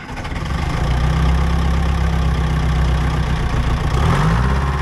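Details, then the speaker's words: Old budget diesel excavator pushing a log: low heavy thrum holds, then speed sags and labors, bogging easily; owner is fairly certain junk and water in the fuel rob power, and drains the tank, finding much crud. "just trying to move this log but it did not want to basically do anything so at this point it was time to completely drain the tank get to the bottom yeah just really bogs down pretty [Music] easy"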